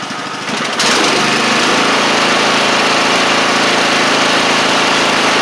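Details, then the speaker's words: Troy-Bilt TB42 hydrostatic lawn tractor with a Powermore 541cc engine, after a new carburetor of the original type. The engine catches and settles into a smooth, even high-pitched drone with no stumbles or knocks. It is running well. "So, it's running good now. Um, which is great."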